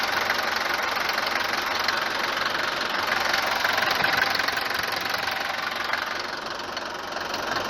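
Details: Mercedes W124 190 D four-cylinder diesel idling on a morning start: hard clatter about three times a second, louder than it should be. Suspected causes are a worn cylinder or piston, the injectors or injection pump timing advance; unconfirmed.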